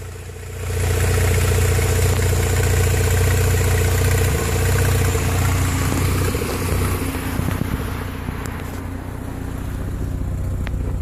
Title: Turbo rx8 rough idle